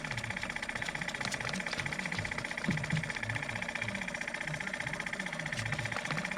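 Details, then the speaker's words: Electric compressor on a GMC cab-over landscaping truck, out of service, running on key-on during soapy-water leak check: steady but sluggish pumping about four strokes a second; dead battery, confirmed when jump box makes it sound much better. "you know what i bet this battery's dead in this truck this thing normally runs a lot faster"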